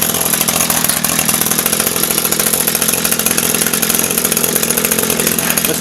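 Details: Echo SRM-225 two-stroke string trimmer, about 1,000 commercial hours, just fitted with an aftermarket replacement carburetor for hot-start problems: high, buzzy idle holding steady without choke or throttle, no stumbling or surging; idling properly.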